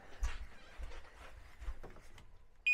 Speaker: О, все работает. Это я так лоханулся, не понял.